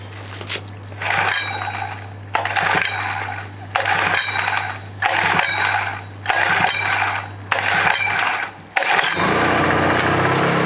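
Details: Honda generator, second cold start using the choke: several rope pulls over a steady background hum, then the engine catches and settles to an even idle; normal cold start and idle.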